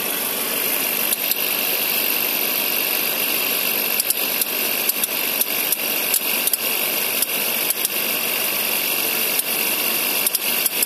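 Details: 2011 Suzuki SX4, M15A engine, Indonesian market spec; sharp irregular clicks a few per second over a hissy idle with little low rumble, pointing to the AC compressor; AC compressor clicking.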